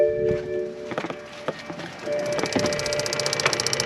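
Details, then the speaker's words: BMW with engine off, tank vent (evap purge) valve activated for 20 seconds by a Launch scan tool active test: light, steady ticking about three to four clicks a second. Valve operating normally. "there we go. You can hear it activating. And that is an active test of the tank vent valve."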